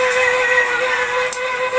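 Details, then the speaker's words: Astron 20-inch stand fan on speeds 1 and 2, turning slowly and intermittently stopping: steady mid-pitched drone with scratchy hiss, painfully loud. "Ayan ang ingay. Patayin munait. Masakit niya sa tinga."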